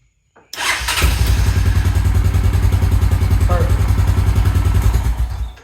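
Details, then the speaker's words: 2000 Honda Foreman 400 4x4 after repair from a no-spark complaint: short crank, fires at once and settles into a steady, even thumping idle; clean healthy start. "started right up had no issues"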